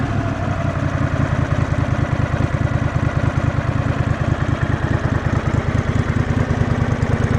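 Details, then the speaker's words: Two-cylinder engine, previously running on one cylinder, idle turned down and air-fuel mixture tweaked: a steady, even, quick idle with no tapping or misses. Normal idle. "so it sounds pretty good I let it run for it's probably about 20 minutes"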